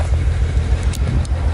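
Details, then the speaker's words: BMW 135i with check engine light, code reader shows cylinder 5 misfire: uneven lumpy idle with chugging stumble, whole car vibrating; owner suspects ignition coil, not confirmed. "know if you guys can hear it it's misfiring that's for sure"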